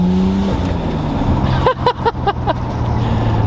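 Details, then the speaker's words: Nissan R32 Skyline with a new MaXpeedingRods turbo on its first drive after warm-up: the engine note drops off throttle, then quick sharp whooshing chirps follow as a healthy dump valve vents. "the only noise we really care about at the moment is that incredible dose from the max ping turbo like listen to it oh man I'm in love"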